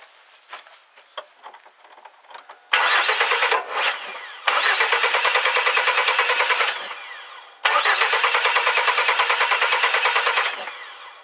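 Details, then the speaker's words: 2001 Chevy S10 4.3 V6 no-start: three long cranking bursts with a steady chugging rhythm, soft popping and backfire, but it never catches. Timing, spark and fuel were verified and the problem persists at this point; a shorting distributor cap is given as the cause. "up okay we still have issues all right well that's a good thing now right now what we've done we've gone ahead and uh verifi that it's getting timing"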